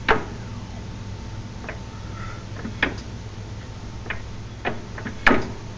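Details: Sharp, irregular clicks and light clunks over a low hum as the parked car is rocked back and forth without bouncing; driveline play is felt between engagement points, and the sound occurs without hitting either stop.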